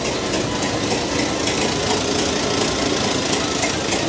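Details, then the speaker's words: 109-year-old Ford Model T in cold snow before driving off: uneven lumpy idle with irregular chuffing and slightly knocky beat; still cold, needs to wait for it to smooth out. "get stuck right there you got to wait for it to smooth out a little"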